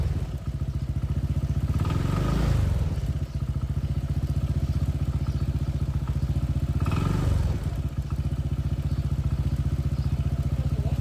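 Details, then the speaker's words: Honda PCX160 scooter, 2021, with over 70,000 km, idling with blips; the side cover is open at the spark plug. A quick tick rides on every beat, traced to the spark plug cap and lead vibrating loose, not the pump gear or cam chain tensioner as first suspected. "เห็นที่สายหัวเทียนมั้ยสั่นกีกๆๆๆเลยนะครับมันดังที่ตัวนี้นะครับตัวหัวเทียนตัวสายหัวเทียน"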